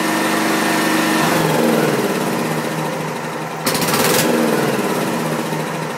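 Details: Wisconsin Robin EY27W engine on a welder, fresh gas and oil level checked: speed wavers up and down in a rough beat of about three pulses a second, then sags; it keeps hunting and stalling.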